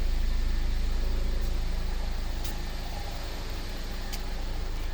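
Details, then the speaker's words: 2015 Mercedes-Benz CLA250 after fuel pump replacement for crank-no-start with low fuel pressure codes P008700/P1CCF00: smooth, even low idle with a regular beat, no misfires, ticks or hunting; car fixed and idling normally. "um anyways the the the car is fixed as you can hear car is running"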